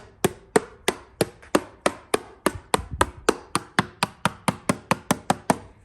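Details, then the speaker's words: Hammer taps on a restoration project's rehung muffler, whose back half had been dragging in the dirt, land as dead, short thuds with no ring, about three a second. It sounds packed, like cement inside; later found scuzzy. "That sounds packed. And the mid, I mean, it sounds like there's cement in there."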